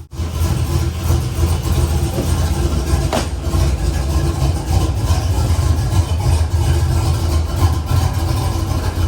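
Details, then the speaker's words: Truck cammed on the factory tune, with the passenger valve-cover vacuum line pulled to help zero the idle airflow trims: low lumpy idle hunting up and down but staying alive, rough and unstable, stalling less than before. "And see if it idles a little bit better. Doesn't want to stall as bad with that vacuum line undone."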